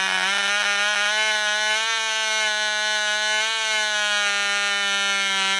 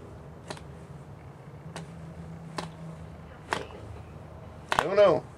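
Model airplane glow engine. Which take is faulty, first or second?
second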